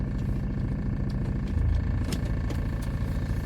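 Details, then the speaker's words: 2004 Hyundai Starex 9-seat diesel van, about 90,000 km claimed, put in gear: rough, heavy clatter with deep pulsing rumble thickening, van shakes more; engine repair suspected, cause not confirmed. "미션을 넣으니까 차 진동이 더 심해지고 엔진 소리도 더 심합니다."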